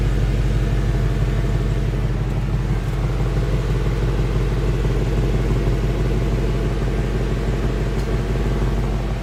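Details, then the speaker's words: 2016 Ford Mustang Coyote V8 at operating temperature, 1,000 miles after oil change: deep, even idle burble with an unbroken rhythm and no ticking or tapping; owner says very smooth, quiet, nothing out of the ordinary. "as you can hear it is a very smooth running motor nothing seems out of the ordinary"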